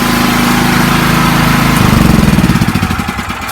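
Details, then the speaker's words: Small petrol generator just after the choke is knocked off, following a gasket fix (reversed and rotated 90 degrees): steady even note, then speed eases down with slow pulsing; no knocks or misfires, running normally. "Knock the choke off, and voila! A one-fix generator. Absolutely pleased to bunch."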